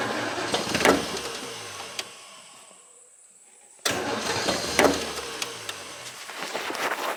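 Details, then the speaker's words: Old petrol engine cold-started with choke and starting fluid, ignition light on: sputtering crank with irregular pops, dies to near silence, cranks again and catches unevenly; hard cold start. "let me give her some choke now let's give her some more laughing gas now you notice the ignition light is on"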